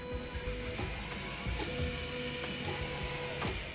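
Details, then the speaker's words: Replacement Amazon stepper motor on an Ortur Laser Master 2 15 W laser engraver, test-framing an image in Lightburn: steady motor whine with short tonal runs over background music; new motor moves smoothly, normal stepper motion. "That new motor is moving."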